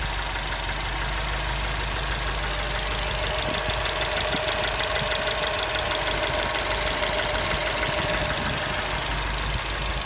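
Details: Subaru boxer engine idling with a fairly regular light knock, about three taps a second; owner unsure whether it is normal Subaru noise, rod knock or piston slap; cause unknown.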